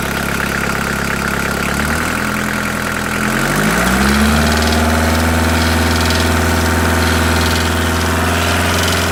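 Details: VW T4 1.9 diesel: a sharp, regular knock about three per second firms up as revs rise. It appeared after an oil change and is noted at 2000 rpm; lifters were suspected. Teardown found a knocking piston pin; the engine needs an overhaul.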